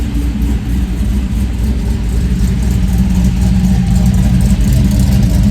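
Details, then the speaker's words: 2000 GMC Sierra with LS3 swap, previously cold-start and hunting idle from MAF-only tune, unmetered air and sensor placement; after MAF tuning (speed density not yet), running 3–4 minutes: steady deep V8 idle rising smoothly on rev, no hunting or surging, sounds healthy. "this thing just sounds awesome."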